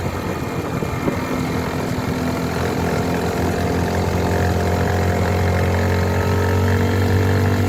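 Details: Mash Fifty 50cc single-cylinder motorcycle engine at 21,000 km, running steadily with a faint mechanical rattle that the owner noticed during pre-season maintenance; the dealer claims these engines last only 25,000 km, and the cause is unconfirmed before teardown.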